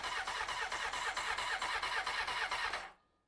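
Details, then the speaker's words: 1993 Honda CBR900RR, first start attempt after spark restored: steady starter cranking about two beats a second for three seconds, never catching; no fuel reaching the carbs. "let's see doesn't feel to me like the fuel pump is are we getting fuel that's doesn't at least I don't feel so that is the question why are we not getting F"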